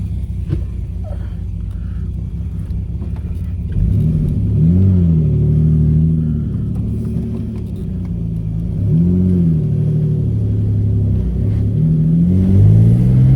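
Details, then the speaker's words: 1997 Mitsubishi 3000GT SOHC chasing a misfire after injector swap; revs climb, then stumble and sag unevenly, sputtering before picking up again. Extra ground had been added to the ignition coil; owner had suspected the fuel pump. "Oh, that's great. That feels real good. Sputtering though."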